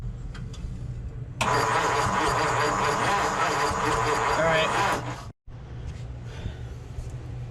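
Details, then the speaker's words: 1953 Ford Customline Club Coupe barn find, sat about 15 years, fuel pump apparently not delivering: steady starter churning for several seconds with no firing, then stops; no spark though voltage reaches the coil, ignition points to be cleaned and opened. "so no spark we got voltage to the coil"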